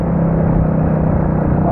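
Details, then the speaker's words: Kuba Superlight 200 motorcycle riding in traffic with a cold engine: steady mid-pitched whine over the engine drone; it usually whines when cold and the sound goes away once warm. "Genelde motor soğuk olduğu zaman hep böyle ötme yapıyor ısındığı zaman geçiyor... bu ses kalkıyor ortadan"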